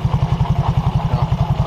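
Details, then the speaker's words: 2020 Honda Vario 150 scooter with noisy CVT, rear wheel held still: low rumbling throb pulsing about twelve times a second from secondary pulley area, gone when rear wheel turns freely; worn secondary pulley bearing. "di bagian sini suaranya hilang tinggal di bagian suara blok blok di bagian sini di bagian kulit sekunder tuh tapi kalau muter di bagian roda belakang bersih bersih tapi kalau dipegang roda belakang diam ini kedengar suaranya"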